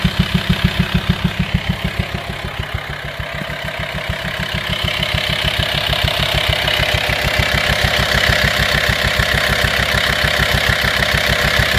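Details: Volkswagen T5 2.5 TDI diesel idling with a deep, steady knock about three times a second, varying in loudness and coming from the air filter side; caused by a worn camshaft and tappets, both since replaced.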